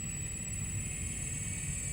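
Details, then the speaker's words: Mitsubishi MR-SA 202 servo drive after repair, on a bench test: quiet, even low hum with a faint steady high whine as the servo motor runs clockwise, smooth with no clicks and no drive faults. "now we see the servo motor running in a clockwise rotation"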